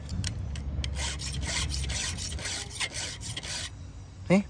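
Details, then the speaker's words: Chainsaw chain hand-filed at 45 degrees, guided by the back tooth and stroking one direction only: even, dry rasping strokes with no squeal. Each tooth now takes the same size chip, so the file is cutting cleanly. "now your teeth are going to be all grabbing the same size chip Knoll no squeaking no nothing"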